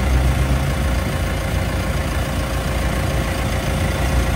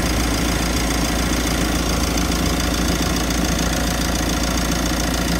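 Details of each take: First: Mitsubishi L300 FB van AC, after a larger condenser was added, refrigerant charge 33–35 psi: a steady, smooth low engine hum with the AC engaged and no rattles or grinding; the compressor now cycles and runs normally. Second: Mitsubishi L300 FB van with recently replaced, larger compressor: steady loud droning rumble at idle with AC on, rough labouring compressor noise; condenser too small, causing excessive high-side pressure; fix is replacing or adding condenser.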